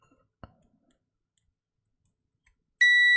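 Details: 1978 Casio Memory B-1 / 1980 H1 calculator that won't power on, corroded or faulty power switch: one click then a clean steady meter beep confirms continuity across the switch pins.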